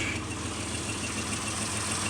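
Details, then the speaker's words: Mitsubishi Montero that previously would not hold idle and shook as if misfiring now sits idling on its own without pedaling; steady, even, smooth hum, no misses, not shaking; owner also hears an exhaust leak and has an emissions check-engine code. "look the truck is sitting and it's running and it's idling on its own no to pedaling"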